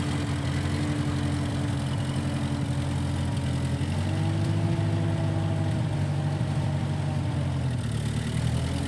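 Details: 1955 Massey Ferguson MF65 tractor, run after sitting a couple of years, carb cleaned; owner thinks the Marvel Schebler carburetor needs slight dialing in. Even, steady low drone holding speed with only a slight pitch shift, no misses or knocks: normal running.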